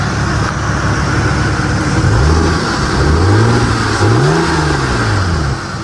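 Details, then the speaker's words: 1998 Lexus GS300 after replacing the AC compressor with an OEM Denso unit, after a drive, hood open, compressor clutch engaged: engine revved up and down smoothly with no whine; compressor operating normally. "I don't hear the whining sound."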